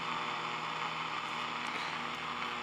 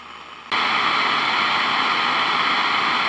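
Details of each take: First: Zenith Trans-Oceanic radio tuned to the top of the AM broadcast band on the original 1L6 vacuum tube, before switching to a solid-state replacement: quiet even hiss with faint steady hum, no crackle; clean normal noise floor. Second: Zenith Transoceanic radio tuned at top of AM broadcast band, swapping real 1L6 vacuum tube for solid-state replacement: quiet background jumps to loud steady hiss, raising noise floor above about 1 MHz; excessive background hiss.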